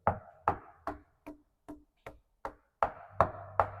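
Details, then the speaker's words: Tap test along the keel of a 50-year-old sailboat with encapsulated ballast: evenly spaced knocks about two a second sound solid over the ballast, then the note drops and thins over the fiberglass skin above it, where the keel weakness lies. "All this is just a skin of fiberglass, and that's where our weakness is."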